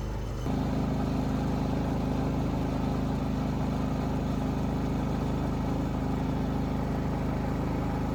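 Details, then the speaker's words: Predator 3500 inverter generator that only ran on choke and surged, after clearing the clogged carburetor jet without removing the carburetor: starts and holds one even hum with no hunting or surging. Normal steady running. "I'm going to go ahead and put everything back together and believe it or not that little just going like that is going to completely fix the issue it's not going to Surge anymore"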